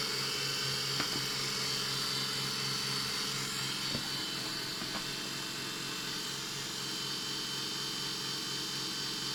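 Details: Brand-new Roborock S6 Pure robot vacuum, about two weeks old: constant high-pitched whirring buzz with faint clicks, far louder than normal, present since first setup; cause unknown.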